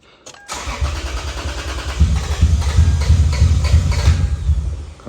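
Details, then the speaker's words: 2003 Lexus IS300, hot, cranking steadily at about three beats a second with no firing after number six injector was unplugged; fuel pressure about 48 psi (spec 50–55), injectors pulsing; owner suspects an injector stuck open dumping fuel, unconfirmed. "so my thought is that uh one of these injectors was stuck open dumping fuel or something I don't know"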